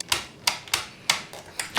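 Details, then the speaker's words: Non-working electric hedge trimmer, plugged in with power on: only sharp plastic clicks from safety switch and trigger, about six in two seconds, no motor whirr; motor does not run, later traced to a split power cable. "if I plug it in of course you can't see and switch it on there is the safety switch at the front and the trigger below but of course nothing"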